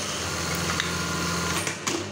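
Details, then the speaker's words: Brother 814 (made in Japan) buttonhole machine after the stop timing was readjusted so the stopper passes correctly: fast, even needle-bar clatter with a steady hum and a clean knife drop at the end, running normally. "Nah ini Udah kesini normal ya Hai kalau kita lihat nih tadi kan dia nyundul di sini ya nyetok nya ini udah ngelewatin seperti ini ini berarti udah sebelumya normal ya"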